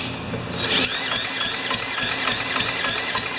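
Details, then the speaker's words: Neglected older Yard Machines mower with Tecumseh engine, no maintenance and no oil, carburettor, intake manifold and muffler removed; starter cranks steadily at about four pulls a second but never fires, even with carb spray put into the cylinder. "come on I put carburetor spray right into the cylinder I know this is"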